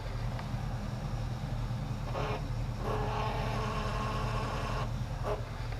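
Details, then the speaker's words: LS-swapped Chevy Nova: steady low engine rumble with a rough mid-pitched roar coming in bursts; owner says fuel pressure does something weird whenever this noise occurs; cause unclear. "you guys remember that a nasty noise that I was having with that in the - well every time it makes that noise my fuel pressure and it does something weird"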